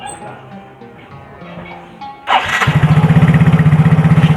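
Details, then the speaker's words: Yamaha Mio J scooter after piston and cylinder block replacement, previously noisy and smoky: starter whirs, engine catches and settles into a clean, even idle about four pulses a second, no tapping or rattle; normal start and idle. "teman-teman suaranya bersih kayak motor baru ya"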